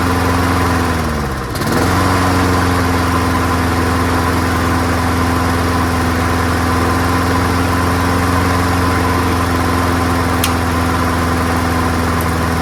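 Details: Free, old, rusty, worn-out Honda self-propelled lawnmower starting on the first pull after a small test fill of gas, with oil clean and full. Revs dip once, then settle into an even, steady drone at constant pitch. Runs smoothly on its own; carburetor judged not to need cleaning.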